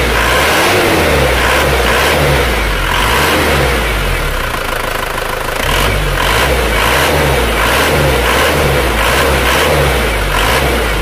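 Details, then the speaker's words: Isuzu Panther diesel after nozzle set to 180 and valves adjusted; hard rattly clatter over revving engine rising with revs; diesel knock from injection pump timing set too far advanced. "menu saya ini setelahnya terlalu perang ya terlalu maju"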